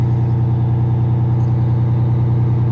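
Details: 1989 Grand Villa two-stroke Detroit diesel at idle: deep, steady drone, about two hundred even beats a minute, no knocks or misses; healthy idle.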